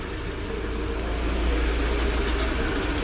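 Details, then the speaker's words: UMZ-4216 (Evotech 2.7), 129,000 km, idling: rough idle with a loose ticking knock near cylinder 1, backfiring into the intake manifold and misfiring. Suspected intake valve seat fault; the knock fades when oil is poured into cylinder 1. "Это у нас первый цилиндр, скорее всего седло впускного клапана, потому что стреляет во впускной коллектор, и цокает, короче, и двигатель троит, то есть подтраивает."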